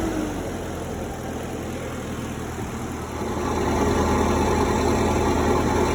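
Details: Cummins 3.3 QSB diesel from a stump grinder, run after rebuild with pistons, rings, rod and main bearings and head gasket (had oil from the blow-by tube), Insight connected: steady, even idle with a smooth regular beat, picking up slightly partway. Normal idle.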